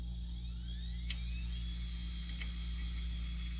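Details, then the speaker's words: Pentium 4 PC with an Antec power supply powering only the hard drive: steady mains hum with a thin whine climbing in pitch as it powers up. Owner suspects a short in the hard drive; other supplies cut off immediately. "but you can hear this thing whining before and I think that's because there's a short"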